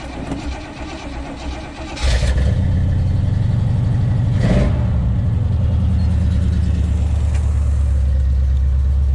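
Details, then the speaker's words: 1977 Oldsmobile Cutlass V8 just after new exhaust gaskets fitted, much quieter under hood: cranks, catches and runs a lumpy uneven idle with choppy beat; two cylinders not firing. "All right, much quieter under the hood. Tell that as soon as it fired up. Then we got two cylinders that aren't even firing."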